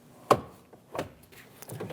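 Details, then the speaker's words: 2001 Chevrolet Silverado 2500 HD 8.1L crew cab, rear door lock tested after installing a new rear door panel. A sharp clunk, then softer knocks as the rod travels. The lock actuates cleanly with nothing binding. "Install the door lock. Be sure it's in the right position. Give it an actuation. Be sure that you feel the rod moving. You can also hear it"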